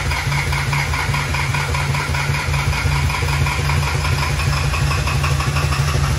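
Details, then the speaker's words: New fully built twin-turbo 1,000hp Duramax diesel on initial fire-up: loud, lumpy idle with uneven chugging and hard knocks, sounds seriously wrong. "he was definitely on the person no this thing should not sound like this this sounds something is seriously goofed up"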